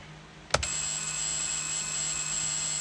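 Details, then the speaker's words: Acura MDX, key on, turn signal/hazard: after a click, thin high steady buzz with faint low hum and no flashing, lights flash briefly then stop; suspected relay not properly disengaging and vibrating. "well this buzzing noise sounds like a relay that's not properly disengaging it's like you know vibrating"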